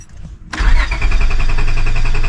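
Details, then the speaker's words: 2002 Honda Accord coupe V6: starter cranks with quick even chug but never fires; battery on but no fuel pump priming heard, owner suspects fuel pump relay, unconfirmed. "I don't hear the pump priming. So, this could definitely be relay pump."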